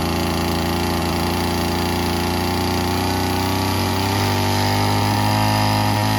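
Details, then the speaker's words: Old Stihl FS36 two-stroke string trimmer after the carb screw was turned in and reset to 1.5 turns out: steady, even buzzing idle with no surging or stumbling. Idles cleanly. "I'd say it runs better. It's idling. So I was right."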